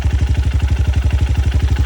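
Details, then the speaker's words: Honda CRF150L after one year of daily use, 16,987 km, no oil seepage or smoke: even, steady thumping idle at about eleven pulses a second with no ticking or rattle; sounds like new, normal idle. "Kalau menurut saya ini mesinnya masih sama seperti baru. Suaranya ya, suaranya masih sama seperti baru."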